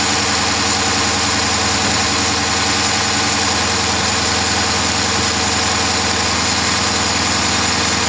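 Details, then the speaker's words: 2012 Dodge Charger 5.7 Hemi V8 idling after swapping coils between cylinders 3 and 5; uneven loping beat under hissy background, misfire stays on cylinder 5, pointing to a mechanical fault; compression test next. "so we still have a dead Mist on cylinder five as suspected three is running good so I was pretty sure that we had a mechanical problem and that's what it seems like"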